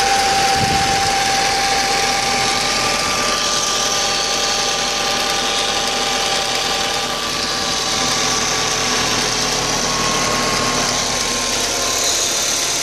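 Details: 2004 Audi A4 B6 1.8T, after a new water pump (cracked impeller, overheating) and new timing belt: the idle hisses and hums with an uneven, knocky pulse about four a second. It is a rough idle, cause unknown.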